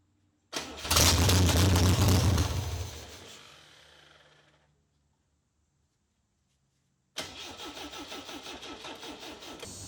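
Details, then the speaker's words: Car abandoned 27 years, start attempt with starting fluid sprayed in: starter chugs about four beats a second but engine never catches; it started earlier that day, owner suspects too much gas. "i'm a little bit bummed dude because it looks like it was starting earlier today it was starting and now nothing because daddy put too much gas in it"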